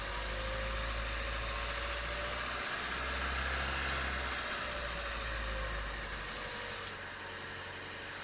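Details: Renault Mégane II phase 2 1.5 dCi 85 diesel, 150,000 km: steady running with faint metallic rattle heard between 1500 and 2000 rpm; metallic engine noise, source not yet identified.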